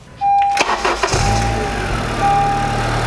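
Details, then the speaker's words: 2012 Honda Civic Si with a loud engine-bay noise, run for a few seconds with the serpentine belt removed: smooth steady idle, noise gone, ruling out clutch and crankshaft main bearing and pointing to the belt drive system. "Voila. Noise is gone. It's not a clutch. because a clutch wouldn't care if a belt is on or not."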